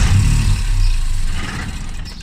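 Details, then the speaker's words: Classic Mini with a swapped modern boosted 3-cylinder engine on its first start attempts, ECU wiring still being sorted: it catches with a rough low rumble, then fades and dies within two seconds and won't hold idle; owner suspects misfiring. "Lucy tries to start now she just keeps doing that she weren't actually idle"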